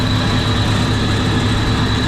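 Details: Commercial kitchen centrifugal downblast exhaust fan on an ABB VFD: loud steady low rumble with constant hum and thin high tone, the fan vibrating from a loose cover and over-greased bearings.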